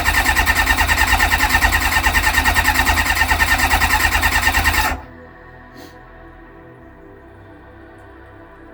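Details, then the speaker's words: Kawasaki ZX-6R after 10 years sitting, a loose fuel line just connected. A steady crank at about three beats a second for five seconds never catches. Owner suspects flooding; it later started without choke. "Why is that not working now then? That is the question. Maybe I flooded it."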